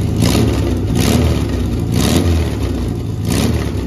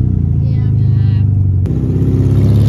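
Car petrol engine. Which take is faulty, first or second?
second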